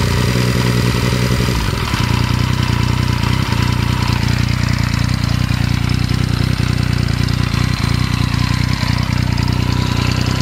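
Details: 2014 Yamaha MT-09 idling with a fast, loose rattle over its low, even beat: engine rattle at idle.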